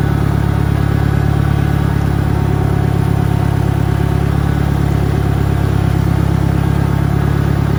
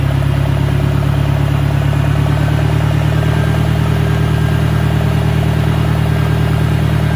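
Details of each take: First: 1963 John Deere 1010 tractor, original and properly maintained, on a backyard lap; smooth, steady low engine throb, no knocks or grinding; normal gearbox noise. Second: 1965 John Deere 1010 with suspect maintenance, Stanley muffler, about 1000 rpm: a constant heavy drone with busy mechanical clatter; the gearbox is noticeably noisier than the 1963, cause not identified.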